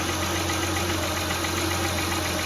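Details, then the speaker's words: 2003–2008 Honda Pilot, engine idling, stethoscope on the alternator housing: a thin steady whine over the idle that rises with engine revs; worn alternator bearing whining, alternator to be replaced. "And as I listen to the housing, I can hear it whining."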